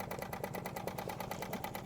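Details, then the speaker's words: Wilesco D20 toy steam engine running at very low pressure, not even half a bar: soft, even chuffing at about eight beats a second, steady and quiet with no knocks or rattles; normal running. "We're around very low pressure. It's not even up to half a bar. You can hear it's another Wilesco that runs so smoothly,"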